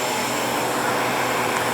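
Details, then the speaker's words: New Harvest Right freeze dryer's vacuum pump during its functional test, pump on a shelf below with very little vibration; air was being sucked in through the open drain valve until it was closed. Even, steady droning hum with a faint whine; pump running smoothly. "i have the vacuum pump down here on this second shelf there's very little vibration we can hear it running so it adds a little noise to the room but it's not too bad"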